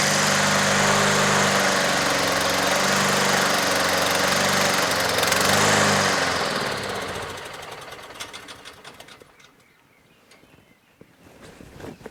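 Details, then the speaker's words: Honda HRT216 push mower on full choke, untouched from garage, previously surging at low idle, fuel treatment added: chugs several seconds then sags and dies; stalling on full choke, owner suspects carburetor. "Okay, it just stalled. Off choke a little. Very unusual for a Honda to do this, right?"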